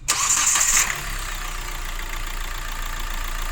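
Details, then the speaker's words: Hyundai i20 diesel (Delphi injectors) during timing chain work: catches at once with brief flare, then smooth even idle with no rattle or chain slap; engine sound good. "तो engine का sound देख सकते हैं और बढ़िया है engine का sound."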